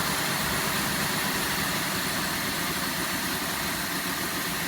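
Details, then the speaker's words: 2005 Cadillac Deville V8 idling just after startup, check engine light on, earlier backfiring from exhaust: uneven low exhaust beat stumbling about four times a second, shaking badly, a severe misfire. "it is shaken like crazy and it is not firing correctly here look what my hands are walking on that's not a normal Idol it is misfiring badly"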